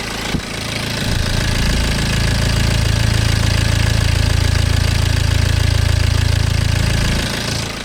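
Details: BMW N47 20d 177 PS diesel, May 2020, about 30,000 km after a January 2019 timing chain replacement, same phone as before: starts and settles into a smooth, even idle with a deep steady note; no chain rattle or clatter.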